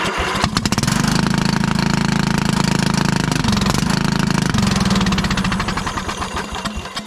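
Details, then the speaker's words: 1996 Craftsman LT1000 Turbo Cool lawn tractor, single-cylinder, first start on jump pack: rough, very loud raspy bark; owner wondered muffler or head gasket, found cracked muffler. "you know maybe this thing might pop off and ride it off thep sounds like we need a muffler or a head gasket"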